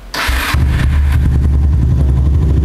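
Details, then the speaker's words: Kawasaki W250 cafe racer after an oil change to Motul 7100 10W40: brief starter whir, then it catches and settles into an even, steady idle with no knocks. Smoother and quieter than before; normal start and idle. "Bener kan kata gua, setelah motor ini ganti oli, pakai motor 7100, suaranya jauh lebih adem dan tarikan gasnya lebih enteng."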